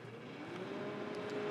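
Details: Panasonic NN-SD975S microwave running after its beeper speaker was disconnected: soft, steady hum swells in and holds an even pitch, no rattle or buzzing, operating normally.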